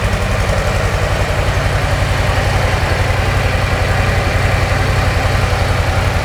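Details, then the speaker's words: Brand-new 2024 Harley-Davidson Softail Low Rider S V-twin on stock exhaust, before TAB Performance 2.25" install: even, muted low thump about 220 beats a minute, steady and unhurried; owner says it's quiet when lane splitting; normal idle. "As you can tell, I don't know. It's loud, but not when you're on it. It's not very loud when you're lane splitting."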